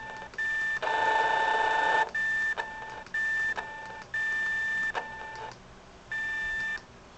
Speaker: Scanning. Beep. That's stupid. I don't know why it just keep doing that.